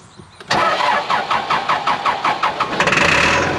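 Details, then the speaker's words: Cat 416C backhoe diesel, hard to start especially after wet conditions, seems not getting fuel even after priming: steady cranking chuffs about four per second, then catches and runs on sprayed starting fluid, burning through it fast. "yeah it loves that loves that starting fluid but it burns through it really fast there we go"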